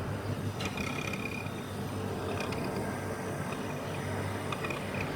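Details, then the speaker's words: Refrigerator fan motor behind the fridge with binding bushings: intermittent high bird-like chirps over a steady low hum, which stop when the fan blade is held by hand; dry fan motor bearing. "Dolapta vıcık vıcık viş kuş sesi gelirse kesinlikle bundandır arkadaşlar. Buzdolabın arkasındaki fandan gelir."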